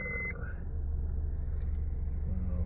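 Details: 2007 Honda Civic 1.8 petrol after replacing the faulty cylinder 4 ignition coil and clearing faults: smooth, steady low idle rumble with no stumble or misfire.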